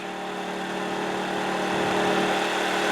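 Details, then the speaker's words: New TACKLIFE 1800 W inverter generator powering an air conditioner (500–600 W): steady hum rising slightly as load comes on, then holding smooth without getting louder; normal running under load. "And it really didn't get any noisier once it got past the surge of it kicking on. A little bit faster RPM to make up the 500 watts, 600 watts I'm using."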